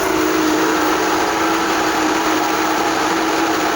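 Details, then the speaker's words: Main pool pump on pool/spa boost mode bypassing the filters, possibly losing prime or with air in the system: loud steady rushing roar with gurgling hiss, producing lots of air bubbles. "So I'm not sure if it's losing prime or just has air in the system, but it's producing a ton of air bubbles."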